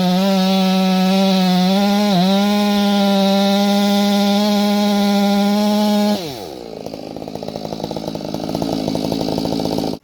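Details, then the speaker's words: Stihl MS461 chainsaw with a non-limited coil and a custom build: screaming at steady high revs with a faint burble of slight four-stroking, then dropping in pitch as the chain bites wood. This behaviour is intended for this build. "this one has a quote unquote non-limited coil and it's you can hear it for four stroking a little bit but that saw i built different you know what i mean i built it different to run like that"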